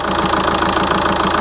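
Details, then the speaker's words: 2004 VW Touran 2.0 TDI 136 hp AZV diesel after tandem pump replacement, warm after a drive: steady even idle clatter, no hunting or vibration; earlier unstable idle cured. "j'ai fait plusieurs tests comme tout à l'heure et je n'ai plus d'ou au ralenti plus du tout d' F le régime est stable il y a pas de vibration"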